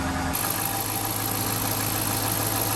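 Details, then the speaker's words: Freshly started 2013 Dodge Charger Hemi ex-police car, higher mileage, just fitted with 16 new Autolite Iridium Ultra spark plugs (some old plugs oily): steady, even V8 idle with a low rumble and no stumbles, much smoother than before. "Wow, I'm not gonna lie, it's running smooth. It's running way smoother than before. Very smooth."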